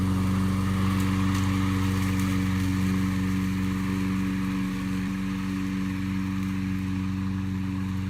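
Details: Discarded curbside push mower, single-cylinder engine, after carburetor cleaning and air cleaner refitted, while mowing the yard: steady, even drone with a smooth firing beat, no misses or knocks. Normal running under load.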